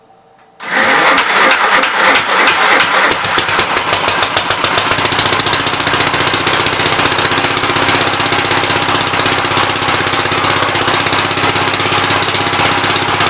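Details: 1969 Gravely C8 single-cylinder engine after its timing, found 180° out, was corrected: catches at once, then settles into a quick, even beat with no misses or knocks; high and low range now work.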